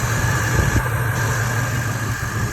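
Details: G-body Monte Carlo LS, after replacing faulty fuel pump relay that caused crank-no-start; steady even low rumble at idle, no misses, knocks or stumbles; normal idle after repair.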